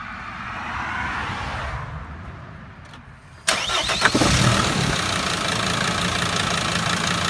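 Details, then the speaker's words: Mercedes Sprinter diesel with P2149 intermittent stalling: quiet, then catches abruptly and settles into an even idle on restart after dying; pinching the chafed harness wires, shorting inside the covering, causes the stall. "apparently there's probably a problem inside where those wires are so it's actually dying on me as it is in this position which is kind of kind of strange"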